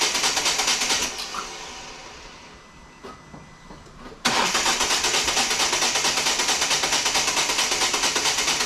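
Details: 2014 Volvo V40 D2 1.6 diesel D4162T after stripped timing belt damaged the cylinder head, now with new timing belt and crank sensor: even starter cranking, engine not yet catching; outcome unclear.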